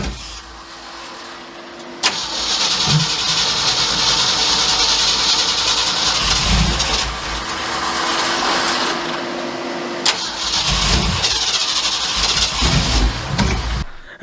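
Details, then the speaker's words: 1967 Mercury F-250 drag truck after the distributor was reset, plug wires moved one position: two cranking bursts that catch, surge unevenly and die back; hard starting and rough running from incorrect ignition timing being adjusted little by little. "Not quite starting, so we'll just start little by little, adjusting that until it'll run."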